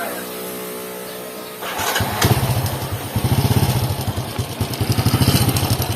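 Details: Honda XRM110 before repair: starter whirs, engine catches and idles with a loose metallic clatter riding on each firing pulse; worn timing chain rattle, chain set to be replaced.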